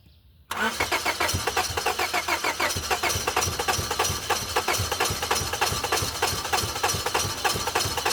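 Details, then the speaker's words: Car cranks but won't start, starter turning steadily at about three pulses per second without firing; ignition coil already replaced with no change, cause unknown. "It's not starting, but I'm going to go ahead and turn it over."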